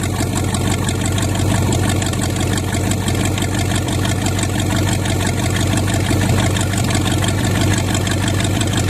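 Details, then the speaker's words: $200 used Chevy 350 small-block V8 on an engine stand, just cold-started: deep, steady idle rumble, even firing with no knocks or stumbles, little smoke seen; running well. "I know seem like it took off for good it didn't really see much smoke but the camera probably caught more than I can see I'm going to let it run a bit get nice and hot"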